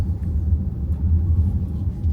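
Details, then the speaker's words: Kia EV3 GT Line S after one year, driven over speed bumps after lubricating the boot latch with silicone: steady low road rumble with no rattle or tap from the rear. The tailgate rattle is gone. "I'll just run down our road and back over the speed bumps, and you should hear that it's not rattling like it was before. So hopefully no rattle."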